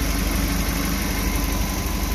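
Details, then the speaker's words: Suzuki New Carry after overheating repair and timing chain install, engine warm: low uneven pulse with slight shake, still wobbly; rough idle below about 1000 rpm, cause suspected in engine, not confirmed. "Rasanya masih goyah,"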